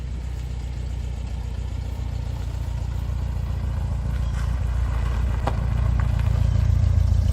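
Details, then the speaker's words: 1969 VW Beetle air-cooled flat-four after overhaul, Solex carburetor: smooth regular low chug building slightly in loudness, no misfires or knocks; best it's run since overhaul, normal running. "And that's the best it's run since we've overhauled it. So, it's it's running really nice."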